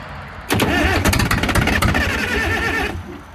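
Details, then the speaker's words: Cold Caterpillar 922B diesel: block heater not plugged in, fresh cold water in the block, glow plugs not working, a little air bled from the number 4 fuel line. Uneven starter churn, and the engine cranks without catching. "It's just I never had the block plugged in, so it's cold. And I'm out of summer air, or almost. And the globe plugs aren't working."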